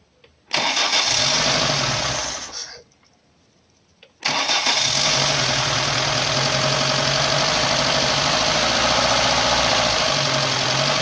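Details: Lada Niva 21213 after replacing a broken timing chain damper that caused chain rattling: engine catches, stumbles and dies after two seconds, restarts, then settles into a steady, even idle with no knocks or rattles.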